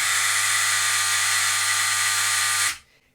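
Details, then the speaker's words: Contactor buzzing loudly with a steady low hum, stopping abruptly: chatter from dirty armature faces holding it open. Often mistaken for a bad contactor or broken coil and replaced, though maintenance can fix it. "Todos los contactores o la gran mayoría o todos los que conozco tienen cierto mantenimiento que se le puede hacer y este tipo de falla este tipo de ruido se puede confundir con que el contactor está en mal estado con que la bobina está rota"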